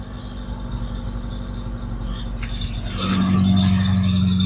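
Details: Vauxhall Chevette barn find with suspected head gasket problem, started for warm-up before engine flush: catches and revs, steady squeal over running engine; drive belt needs adjusting after standing.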